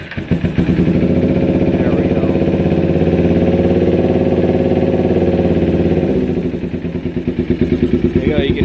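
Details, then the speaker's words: 2008–2012 Kawasaki Ninja 250R twin at idle after an airbox modification to a pod filter setup, low fuel; fast even putter with a raspy sucking edge, open pod-filter intake noise, which is normal. "can hear it sucking right here now thank you and let me close off this vacuum line"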